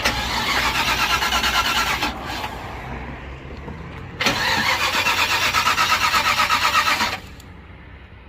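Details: Old car being jump started, fuel back up to the filter: starter spins the engine at a quick, even chug for a few seconds, stops, then cranks again with no firing; cranks but won't start.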